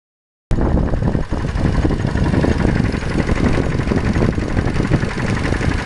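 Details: 2005 Mazda 3 engine at steady idle: a dull, fairly regular knock rides on top of the engine note, cause unclear. Engine knock.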